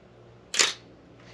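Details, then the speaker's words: Old film camera being inspected before purchase, shutter set to 1/125 s; sharp bright snap and a softer click of the two shutter curtains moving, crisp and clean; shutter fires normally. "definitely heard that start to hear the action of the shot of the two different shutters moving"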